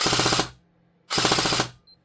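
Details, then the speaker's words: G&G SGR 556 airsoft AEG, a year of continuous use, stock: two short full-auto bursts sounding slightly slow and soft; owner suspects the battery is dying, as that sound usually means low power; slow rate of fire. "It's not liking that. I think the battery's a bit dying actually."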